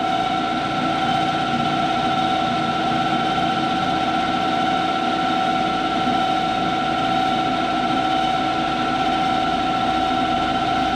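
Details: Clausing 5914 lathe turning brass toward 0.75 in: steady high singing tone at one pitch through the whole cut, no knocking; persists after tool adjustments, owner suspects the insert.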